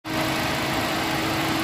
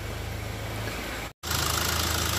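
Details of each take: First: 2015 Ford Ka 1.5 Sigma with no power and hard morning starts after timing-belt work. A dirty fuel strainer had raised fuel pressure, making the mixture rich; after cleaning, a smooth, even idle with pressure 3.8 bar, normal fuel trims and the fan running. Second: 2015 Ford Ka 1.5 Sigma after a timing belt job; uneven lumpy idle that keeps varying, with a wavering beat and hiss on top; scanner shows MAP somewhat high and ignition advance near zero; oscilloscope confirms cam timing out of sync.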